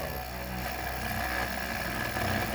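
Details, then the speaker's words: Large 3D-printed rotor motor with coil, inserts instead of bearings causing some wobble, spinning fast: even steady low hum without rattle; smooth motor hum. "we wanted to get to that nice hum like that but not that rattle though"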